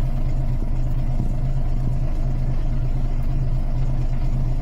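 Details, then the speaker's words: Volvo B10M diesel idling after Bendix AD-2 air dryer rebuild, air pressure near unloading; steady even deep idle, no tinkling, no air leaks. "It's not far off unloading if it's going to. No tinkling, no leaks."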